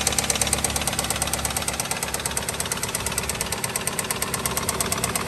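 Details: Nissan diesel found three quarts low on oil, long overdue oil change, no leaks: steady knock about two a second at idle from inside the engine, not the belt as owner thought; noise lessens in drive.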